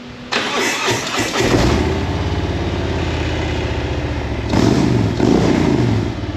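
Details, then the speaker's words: 2020 Harley-Davidson Road Glide Limited after new Rinehart head pipes and a new rear tire were installed: starter whirs briefly, then the twin catches and settles into a steady, even loping idle with no knocks or rattles. "But she starts and runs, as you all seen. Sounds good."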